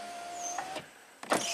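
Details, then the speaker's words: 2007 BMW 328Ci hardtop convertible, after tweaking the rear module bracket so the top module reads closed: front window run, short smooth motor whirr at steady pitch, no grinding or straining; window working normally again. "The relays work. The front windows are working from the buttons."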